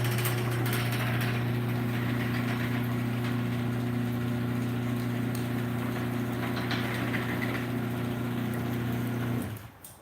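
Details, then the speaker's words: Garage door opener running up: smooth steady low motor hum holding one pitch, then cutting off cleanly; quiet and healthy upward, only louder going down, likely from a stripped front screw hole. "So it just makes it a little bit louder on the way down, but on the way up, this thing is really quiet."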